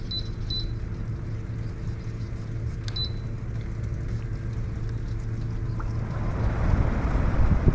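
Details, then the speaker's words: Large swamp cooler after replacing its failed circuit board: steady low fan rumble with faint hum, then rising rush of water as the pump kicks in; working normally, unlike before repair. "It's actually kicking in the water. You can actually hear it moving. It's doing all the things that it didn't do before."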